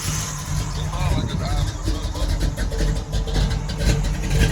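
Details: Low, slightly uneven rumble at warm idle with no knock or tick, after a new Brawler 650 double-pumper carb and new spark plugs and a few minutes of running. Rpm is unknown with no gauges; normal warm idle.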